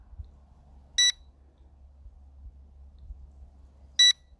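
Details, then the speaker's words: L200 Pro Max cheap WiFi GPS drone, repeatedly crashed and glued, lost connection and expected to return home: two short shrill beeps about three seconds apart over a quiet background; normal find-me locator beep. "But I should be able to hear it pretty soon. There it is. Something beeped. Another beep."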